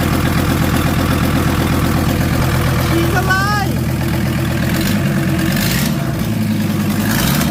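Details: VW T4 van with the owner's old engine refitted, running for the first time in 2 years; alternator snapped off. Steady low diesel clatter at an even idle with a brief chirp, no knocks or misses; normal idle.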